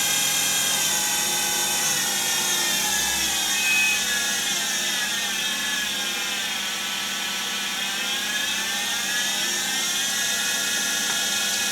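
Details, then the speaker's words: Boxford mini CNC lathe DC spindle motor run under Mach3 control, heard across the shop: steady high whine that dips slightly and recovers, no knocks or grinding; spindle running nearly properly. "you can see the spindle spinning up there just in the corner of the shop you can certainly hear"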